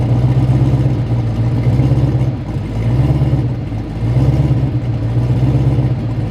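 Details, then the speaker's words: LS V8 race car during a drag pass with power turned down all the way: a deep loud drone that surges and sags, dropping out about once a second. The engine is definitely missing; converter thought too tight. "if you guys can tell it sounds like it's a little funny it's definitely missing"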